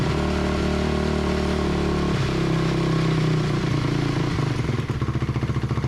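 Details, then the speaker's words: 2004 Honda CRF250R with a damaged head, after repair and before carburetor tuning: single cylinder thumps crisply and evenly with no stumble or misfire; later judged too lean, needing a bigger main jet. "[Music] definitely sounds much better before we do any tuning let's get the back end back on"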